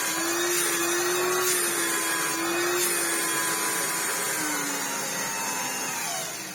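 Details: Hoover Turbopower 2 Autosense after refitting the thermal cutout link wire: steady high whine holding an even pitch, easing slightly lower toward the end; motor running smoothly, where before it ran terribly.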